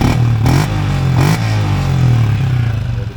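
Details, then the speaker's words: LC V8 motorcycle with Uma air filter and trumpet fitted: two quick throttle blips over steady idle with a deeper, slightly bassy intake note, no misfire or hesitation; normal revving. "Bunyi dia lepas saya pakai Hypertext, ada bass sikit."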